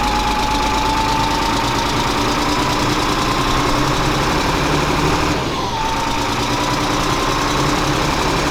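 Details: FMTV military truck diesel, bought non-running at auction, now started: heavy diesel running steadily with normal clatter and a faint whistle rising and falling; engine runs evenly, normal idle.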